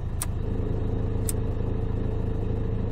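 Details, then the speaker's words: Dacia Duster petrol engine idling with a low, uneven rattly shudder from the accessory (PK) belt side; the rattle stops when the alternator is loaded. Suspected alternator bearing or overrunning clutch pulley; the failed alternator clutch pulley was replaced, which fixed it. "albo łożysko alternatora albo to łożysko kierunkowe czyli sprzęgiełko tak zwane"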